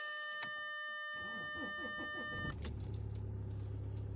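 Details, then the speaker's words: Audi A6 2.0 TDI that would not start in cold, damp weather, after repair, parked frozen and iced overnight; dash chime, about a second of even cranking, then the diesel catches and settles to steady idle, no warning lights, normal cold start. "Hops. Pielece. Nekas panelī nedeg. Aizsalis mums."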